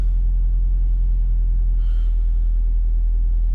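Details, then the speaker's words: 2006 Nissan Altima that sat almost a year and would not run, with a fuel pump fault suspected: after starting, a low, even engine rumble holds steady at idle, so it runs. It had previously run briefly and then died. "Oh yeah, it's working. There we go, it runs, yay!"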